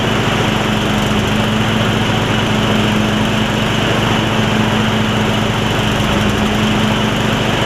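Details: Yard Machines riding mower single-cylinder, revived from a water-filled engine, runs rough and uneven while the deck is tried under load. Valves were never gapped after the rebuild and it smokes; the owner suspects water is still working out and plans a valve adjustment when it cools.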